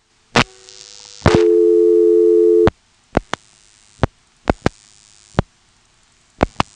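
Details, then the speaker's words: 1977 Elizabeth City NC step-by-step exchange with directors, dialing 338: a tone cuts off, then three groups of crisp relay clicks. This is normal director pulsing; the director decides the route, then dials out 6 plus 8. "As you can see, there were 3 pulsing events after we dialed 338. 3 sort of groups of pulsing noises that sounds almost like 3 digits, but actually the number of digits being dialed out is equal to the number of pulsing events minus 1."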